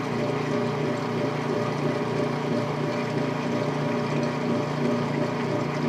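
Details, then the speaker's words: Late-1990s/early-2000s Whirlpool direct-drive washer, neutral drain to the standpipe with timer noise: even, steady rumbling drone with a soft rhythmic pulse like a distant train; normal neutral transmission sound. "Here's the timer sound and the neutral drain to the stand height here. And the awesome neutral sounds."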